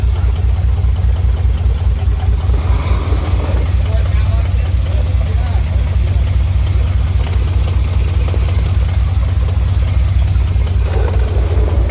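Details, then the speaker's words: 1988 Chevy K2500 pickup after sitting, fuel system overhauled and converted from fuel injection to carburetor: steady, even low idle rumble, no stumbling, surging or dying, no leaks seen. Normal idle. "I think so I don't see any leaks she hasn't shut off yet"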